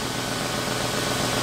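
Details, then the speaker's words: 1996 Lincoln 4.6L V8 after repairing a heater hose coolant leak under the intake manifold and refilling coolant; idle rises and falls as engine relearns, then steady even hum with no knocks, misses or hiss; normal idle. "that aisle going up and down it's just we're learning where the engine's supposed to sit"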